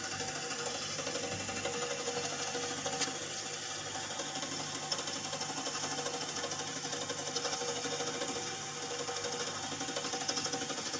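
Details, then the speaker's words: Refrigerator during refrigerant recharge, evaporator starting to freeze: irregular hissing, sputtering flow with faint fast ticking over a quiet hum, refrigerant struggling through a partly blocked capillary tube. "Suaranya kayak ada anu sendat-sendat seperti itu ya jadi dia mau buntu mau ndak gitu"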